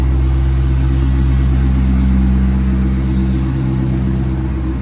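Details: C5 Corvette V8 after rodent-infestation cleanup and rebuild, first fire-up: deep even rumble holding steady idle, no knocks or misses; healthy.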